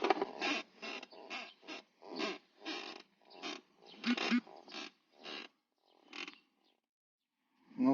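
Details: Dry, raspy creaks in uneven bursts from a Toyota Prado 150 driver's seat after interior re-upholstery, traced to the lumbar support adjuster button rubbing the side trim; passenger seat silent; fixed by lubricating trim contacts with silicone spray.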